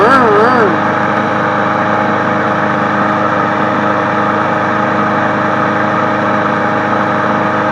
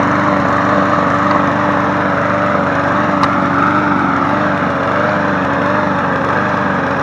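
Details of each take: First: Craftsman 22-inch push mower 917.385320, which ran unhappily; owner suspects a check valve. Now it holds a steady, even drone at constant speed with no stumbling or surging. Normal running. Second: Craftsman 22-inch push mower 917.385320 after running a few minutes: a loud drone with a lumpy, wavering beat. Rough running; the owner suspects a check valve, not confirmed, and it later smoothed out.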